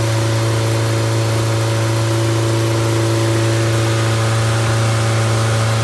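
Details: Completely rebuilt MG Midget 1500 engine (~1978-79), bored 0.020 over, flat-top pistons, 270 cam, 9.5:1 compression, run-tested unmuffled: steady even deep note, smooth firing, no knocks or ticks; running healthy.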